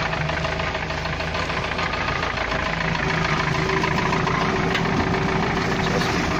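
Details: UAZ-417 engine after replacing the camshaft, camshaft gears and camshaft bushings: even idle with an irregular knock at about three to four per second riding over it, though the vehicle still drives and oil pressure is normal; engine knock at idle, cause unknown.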